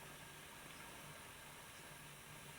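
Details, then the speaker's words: Bachmann 4CEP EMU model train after a service, running at about 3/4 speed: only a faint, steady low motor hum, and the earlier whirring is gone. Normal quiet running. "Nothing. Just the slight sound of the motor."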